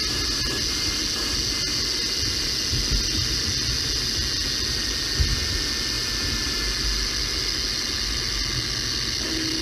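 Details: Mercedes E500 4Matic, deceleration whine around 35–40 mph: ChassisEAR pickup on rear differential while accelerating to 40 mph, faint high whine climbing with road speed under heavy hiss; bad rear differential.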